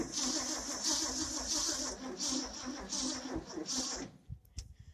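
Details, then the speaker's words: 1967 Ford F350 cranked without the clutch: the starter turns sluggishly in an uneven rhythm for about four seconds and never fires. Slow crank, no start; owner suspects the fuel pump, a bad ground or connection, or lost spark. "Yeah, you can see that's cranking way too slow. That's a little more cranking than I like to do on it."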